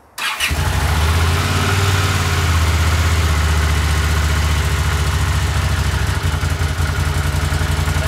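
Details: 1982 Honda CX500, long neglected, after cleaning tank, petcock, carbs, jets, replacing plugs and caps: catches quickly, idle chuffs and wavers unevenly, never settles; unstable idle, no change, carb/ignition cause unfound.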